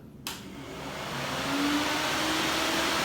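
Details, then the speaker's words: Electric radiator cooling fan on the Old Hank project car: spins up to a steady, fairly quiet rushing hum with strong draw and no rattle or grinding. Normal operation. "Okay, there's what it sounds like. See, it's not too loud."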